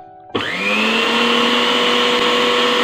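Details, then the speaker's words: National blender fully reassembled after repair, breaker bypassed by joining two wires as a temporary fix: motor spins up to a steady, even, clean high whir with no knocks or grinding; normal running. "වැඩ කරනවා. කිසිම ප්‍රශ්නයක් නැතුව."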